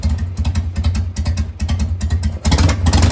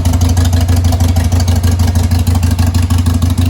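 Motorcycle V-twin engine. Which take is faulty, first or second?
second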